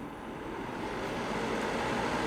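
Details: Llano RGB laptop cooler stepping up from its 300 setting toward 800: a loud, steady, airy rush with a faint hum that slowly builds in level. Excessive fan noise even at low settings.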